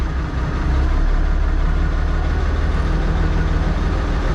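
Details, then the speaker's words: Tractor diesel (8959.6 hours), not fully warm, idling after oil pressure comes up; steady, even low rumble with no knocks or misses — runs nice, normal idle. "It runs nice, this tractor. I'll shut it off."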